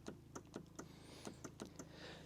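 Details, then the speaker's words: Lodge utility vehicle after bypassing a fried voltage regulator: sharp uneven clicks, about four a second, from the starter solenoid with no cranking; the starter is suspected seized or otherwise faulty. "So, other than the the starter doesn't work. You can actually hear the clunk in the solenoid if you listen closely here."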